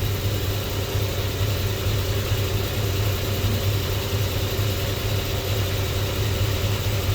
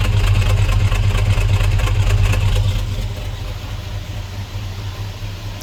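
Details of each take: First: Squarebody Chevy C10 with LS swap, just running: low, lumpy idle around 500–550 rpm with an irregular stumble; misfire code flagged, possibly cylinder number four, and idle rpm is to be raised before chasing misfires. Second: LS-swapped Squarebody Chevy C10 with true dual exhaust, idling on first runs with low idle and slight miss, oil pressure about 35 psi: deep, even V8 burble with no ticking or puffing from the front pipes; no exhaust leaks.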